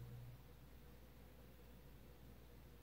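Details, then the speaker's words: Vintage Supreme Mk. I 52" spinner ceiling fan (Taiwan, stamped vented motor) on low speed: very faint steady hum, no buzzing, dead silent, so the winding can't be burned, which would hum or buzz loudly. "it's almost dead silent on low though and that was another reason why I knew the winding couldn't be burned because if it was burned if it was like toasted it would have been making a horrendous humming sound or buzzing but this thing is dead silent"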